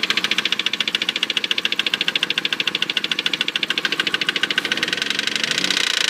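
A sharp, fast, even knocking of about twelve per second rides over the idle throughout; clear engine knock, cause not pinned down.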